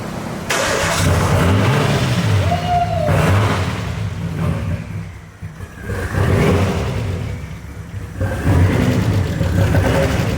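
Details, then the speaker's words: Nissan Skyline with freshly swapped RB25DET turbo engine, first start with no exhaust fitted: loud, raw engine swelling and dropping with throttle blips then settling to idle, running on first try. "The exhaust isn't on, but it sounds it sounds insane."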